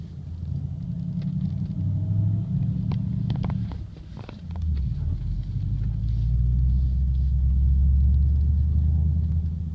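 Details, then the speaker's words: 2007 Audi S4 driving under load, about 1300–1500 RPM, not at idle: a low droning buzz/rattle comes and goes over the engine rumble. "there it goes it's like a bu kind of like a buzz sound there it is again yeah there it goes a few times so pretty pretty easy to hear that"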